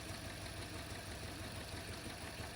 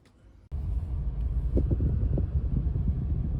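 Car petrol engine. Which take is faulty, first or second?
first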